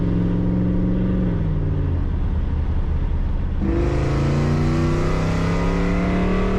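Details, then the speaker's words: Project Z28 V8 on the road after retuning and plug work, hard and light acceleration; strong, clean pull climbing smoothly through the revs, earlier popping and misfiring gone; normal acceleration. "So that felt pretty good. Hard acceleration, light acceleration, not experiencing that popping or misfiring anymore, so that's really good news."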